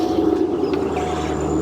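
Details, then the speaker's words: Corvette C5 convertible V8, a Japanese import left unregistered for over 12 years, started after sitting. A steady, even idle with a smooth low drone, no misses or knocks, running on all eight cylinders; oil pressure gauge reads 40. "running on all eight sounds like it does it feel like it sounds like it to me cool"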